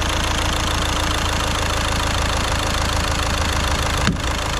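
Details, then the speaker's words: VW Caddy diesel at idle after injector removal with a puller and repair, just started, slight belt squeal noted: even idle with regular light clatter, no heavy knock or miss; quiet, healthy engine, no leaks. "That sounds absolutely so quiet, so quiet. I'm well chuffed with that, well happy."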